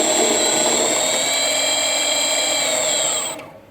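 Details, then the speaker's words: Rebuilt Sieg mini lathe on its first cut, facing a pipe with a carbide tip at about 300 rpm: the high steady motor whine sags as it loads down under the cut, then winds down to a stop. "It's definitely different to use. It's not like the other one. You guys can probably hear it loading down."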